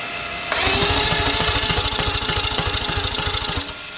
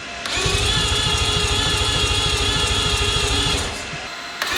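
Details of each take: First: Newly built billet four-rotor rotary engine being turned over to prime the oil before its first fire: about three seconds of fast, even cranking pulses, roughly three per second. A healthy, quick starter spin. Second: New billet four-rotor rotary engine on its first start attempt. Two runs of about three seconds of steady starter cranking with no firing at all. The ignition circuit was found to have no power, with a relay and diode in the signal lines being checked.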